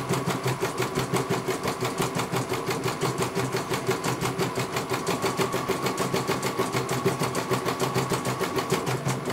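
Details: CNY computer embroidery machine serviced from Banjarnegara, Central Java, that arrived with its motor (dinamo) not turning at all and the bobbin case missing; quick, evenly spaced stitching clatter over smooth motor hum, one colour completed well. Normal embroidery machine stitching.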